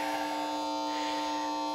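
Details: PlayStation 3 producing a harsh, steady fixed-pitch electrical buzz through the TV sound along with screen disturbance; a long-standing buzzing hum in the audio output, cause unknown.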